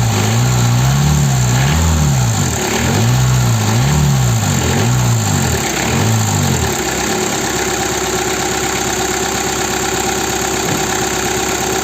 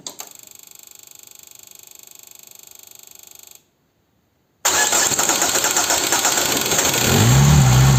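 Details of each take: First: Peugeot/Citroën 1.9 DW8 diesel started cold: it catches after a few uneven turns, then settles into a steady, even diesel clatter at normal idle. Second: Peugeot/Citroën 1.9 diesel DW8 engine, cold, with leaking injection pump advance solenoid valve: even cranking about four turns a second for over three seconds, pause, then fires; hard start from air in opened fuel system, needs priming.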